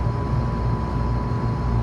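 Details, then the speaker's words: Three-phase scroll compressor on a walk-in remodel after swapping two power legs, now turning the right way: a steady low hum with a faint even tone and no clatter, and suction pressure is coming down normally. "all right let's try that again ah now look at the suction pressure coming down see that now we got the right rotation going"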